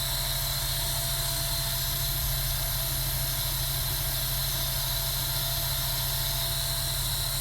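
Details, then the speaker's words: Sega Dreamcast GD-ROM drive, suspected failing capacitors, after reclosing tray: disc spins at flat unchanging speed, no seek ticks or speed hunting, drive has given up reading; reading works after reopening tray again. "Okay, now you can hear it's at a constant speed and it's kind of quit trying."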